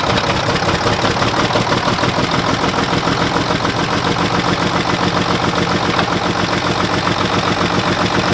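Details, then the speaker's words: Mack diesel truck just jump-started off two batteries: loud clatter with an uneven, lumpy idle; number six cylinder gets no fuel as the poorly working injection pump rack is controlled by hand while bleeding injectors; misfire from dead cylinder. "the reason it's run like crap it's number six he doesn't have any fuel coming out of right here where I'm controlling the rack"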